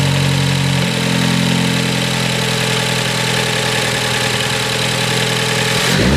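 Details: 2018 Ford Focus ST just fitted with a CP-E cold air intake, MAP sensor reinstalled; steady, even engine drone settling after start, then a quick rise in revs near the end; runs smooth and healthy.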